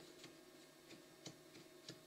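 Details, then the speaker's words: Faint, slightly uneven ticks about three a second over a quiet motor hum on a new Anet ET4+ 3D printer: a gantry wheel dented from sitting too tight on the gantry in shipping, clicking as it rolls. "it's almost like this was way too tight onto the gang tree when they shipped it there's a reason for that because they don't want it to shift of course but the wheel slightly dented as a result where it's been sitting all the time inside the package"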